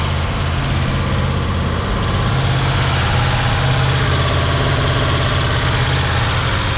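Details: 1976 Jeep CJ5 304 V8, previously locked-up motor, after new fuel filter, hoses, accelerator pump and fresh fuel: steady, even idle with low rumble, no knocks, misses or hunting; healthy.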